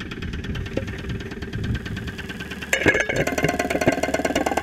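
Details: 2001 Saturn SL2 at idle, stethoscope microphone, after being run with very low oil; not run for two months, oil pressure about 35-40 psi at idle. Irregular knocking about three to four per second, louder toward the end; internal knock, cause unconfirmed.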